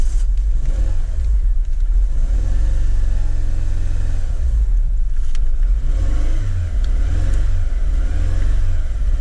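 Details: 2010 Renault Megane 1.6 petrol at 60,000 miles runs with a deep, uneven, lumpy pulse and irregular rev swells, a misfire from a faulty cylinder 4 fuel injector, fixed by replacing that injector.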